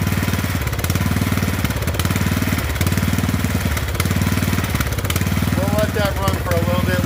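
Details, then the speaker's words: Poulan 12538 38-inch riding mower single-cylinder engine, first start after an oil fill with 10W-30 (slightly overfilled): a steady, even putter at constant speed with regular firing; normal running. "Alright, so we got it running. If I didn't mention it, this was going to be a part 1 on this one because I figured it was going to take 2 parts to deal with it. It looks like it's running real good."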